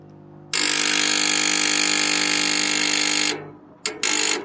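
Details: Brivis Wombat 120 gas heater control board: harsh, loud buzzing chatter, one long burst then two short; persists after the capacitor (suspected bad) was replaced with a new one.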